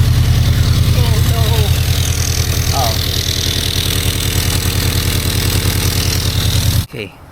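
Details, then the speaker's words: Subaru BRZ first start after installing unequal-length headers with stage 2 tune: idle with sharp, rapid puffing tick in step with firing; exhaust leak at header, fixed by tightening and repositioning the gasket. "I should be able to start it up now. There's a leak."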